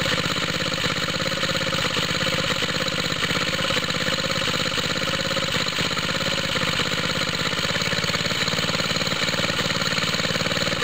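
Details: Cold start of a small water-pump rig engine on straight 30-weight oil, choke on, after fitting an exhaust tip: rough chuffing idle at about two beats a second with sharp puffs at the head. Owner suspects a leaking head gasket, smoke seen there.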